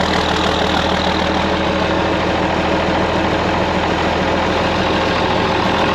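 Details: TD15C dozer diesel in freezing weather, new starter, after running out of fuel on a hill and being refuelled and primed: loud even clatter holds steady, no stumbling, misses or surging; running cleanly again.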